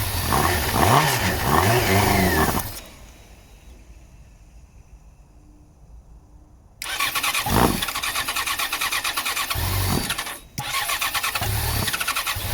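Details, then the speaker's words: 2014 Yamaha XJ6S Diversion, under 12k miles, stolen-recovered, airbox off: engine cranks, catches and revs briefly on starting spray then falters; fuel supply problem, tank possibly held water, fuel pump to be tested. "yeah, this is definitely a fuel supply problem."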